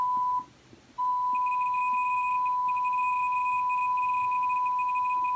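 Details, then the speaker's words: MACH 3 arcade game with Dexter laserdisc replacement board, audio decoder test after adjusting R6: clean steady high beep after brief dropout with faint upper tone; low error count, works correctly. "so that's really as good as this audio decoder Board gets and as you can see in the test menu uh the error count was very low and it works perfectly in game"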